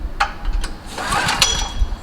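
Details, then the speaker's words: Generac GP5500 portable generator, several years old, sat for months; runs on fresh 89-octane fuel with Stabil 360 and has a new spark plug. Repeated recoil pulls give short rattling spins, but it never fires: hard cold start. "the only thing I can promise you about this Generac GP 5500 it will not start on the second or third or fourth or fifth or sixth or will counter one two three four six seven"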